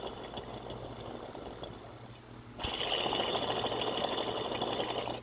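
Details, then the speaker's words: Hand-spun idler pulley, belts removed, with dry, worn imported bearings that failed after about five years: a harsh, gritty grinding rattle instead of a smooth spin. The fix is new pulleys or rebuilding them with new bearings. "take all your belts off and listen to your bearings that's smooth it ain't supposed to sound like this ready"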